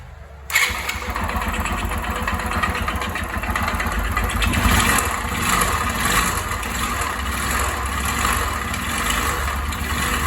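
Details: YES 125 motorcycle engine fires up and settles into a slightly uneven idle with a light clatter on top; abnormal engine noise, cause unclear.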